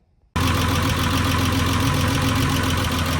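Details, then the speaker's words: VR6 engine on its maiden drive after swapping in an AAA VR6 bottom end: steady, even engine note with no tapping or knocking over road and wind noise; running healthy. "The engine sounds good. Everything's running good."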